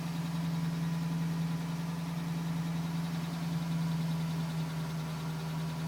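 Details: 2010 GMC Sierra with 2000 miles, cold idle: light, fairly even tapping about three a second over low rumble, still at 4 minutes, stopping at 5 minutes 42 seconds when warm; owner suspects piston slap, unconfirmed.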